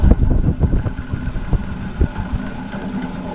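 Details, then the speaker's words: BC620 chipper after disc bearing replacement, settling as it stops: low even rumble with a few soft knocks, no rattling or grinding like the old marble-sounding bearings; runs quiet. "That sounds a lot nicer than the old bearings. The old bearings sounded like a bag of marbles."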